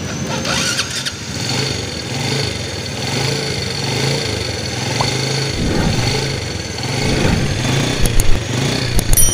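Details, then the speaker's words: Yamaha Vega (Python) motorcycle with AC ignition whose electric starter only clicked, after repair with a thicker battery-to-starter cable: clean starter engagement, a quick catch and a steady idle with blips. The cause was a weak battery and starter brushes not extending properly. "Jadi, masalahnya adalah baterai yang lemah dan sikat starter tidak memanjang dengan benar."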